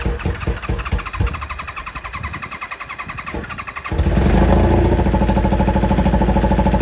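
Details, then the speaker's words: 1995 Kawasaki ZX-7 revived after water got into the engine, which was then filled with transmission fluid; muffler removed: cranking chugs give way to a loud, unmuffled, lumpy, uneven firing beat. Rough running. "As you guys can hear, it is not sounding amazing. I had to take the muffler off of it because when the water and everything got down this motor, I filled basically everything full of transmission fluid."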